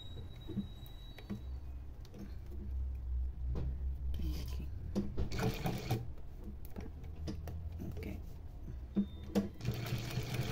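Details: Sewing machine with newly installed servo motor running at set speeds from 400 to 1500 stitches per minute: steady low motor hum with quick, even needle ticking; runs smoothly and quietly.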